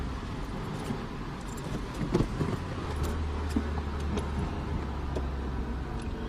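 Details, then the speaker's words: 2004 Honda Civic, about 129,600 miles, in first gear above about 3000 rpm: under acceleration a deep, coarse droning grind that is loudest only under forward load; worn transmission input shaft bearing. "sounds pretty horrible doesn't it let's close the windows and listen to it she sounds like under acceleration and again it's only really grinds really loud while forward load is being put on the transmission"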